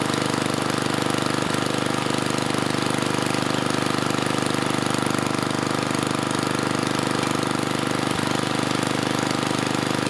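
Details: Tecumseh 3 hp (HS35, H35-45593R) single-cylinder on mid-1980s Troy-Bilt Junior tiller at full throttle: an even, steady drone, too slow. About 2400 rpm where at least 3000–3600 is expected; governor spring tension adjustment is planned to raise speed.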